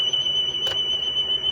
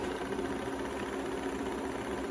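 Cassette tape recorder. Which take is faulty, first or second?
first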